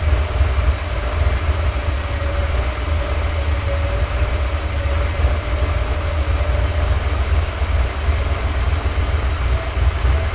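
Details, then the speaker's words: Rebuilt Porsche 928 V8 after fixing small leaks and leaning the mixture; deep, even V8 rumble holding steady without hunting, misses or popping; smooth idle. "it's sounding decent it's a really nice party V8 engine sound and he's staying alive and it's not popping"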